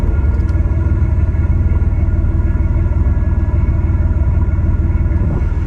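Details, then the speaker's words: Idle right after installing new Thrush mufflers on the bus, engine not yet warmed up; low, even exhaust rumble with steady pulses, no rasp, ticks or leaks. Very quiet, expected to get louder as the mufflers break in. Normal idle. "so what I like about the Thrush Mufflers is on idle they are very quiet now obviously when it breaks in it is going to get maybe 50 louder but they don't make any noise unless you're really good on it"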